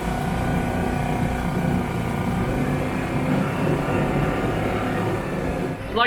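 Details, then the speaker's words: Yamaha F4 4 hp four-stroke outboard after its hydrolock was cleared, oil left in the cylinder burning off: steady, even hum with no knocking or misfire and a small sputter at the end; it runs and idles fine. "Seems to be running great and idling fine. So, I think we're ready to go."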